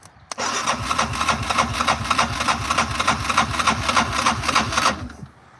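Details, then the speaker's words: Newly bought ATV with 1,800 miles that has been sitting, started via pliers at the starter: steady cranking with even compression pulses, about three per second, for four seconds, never catching; cranks but won't start. "It's turning over. Sounds healthy. Still no start button."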